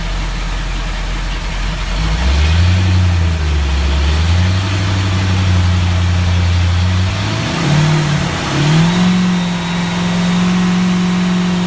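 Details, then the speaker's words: Ford 351 V8 EFI in a Four Winns boat, first start after a drivetrain rebuild with new drive coupling, gimbal bearing and transom seal; deep even note climbing with throttle to 3,000 rpm, gauges in the green; normal revving. "Everything's in the green. What a great thing. 3,000 RPM."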